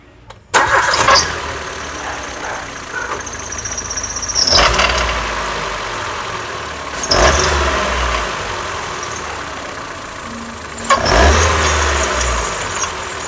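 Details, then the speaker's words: Ford EcoSport with Sigma engine: rough gritty whirring that rises with throttle blips and settles at idle, sounding like internal engine rattle; worn water pump bearing, repaired with timing belt replacement. "Essa é uma EcoSport, tá fazendo esse barulho no motor, parece um rajado, o motor grilando, né? Parece barulho de motor mesmo."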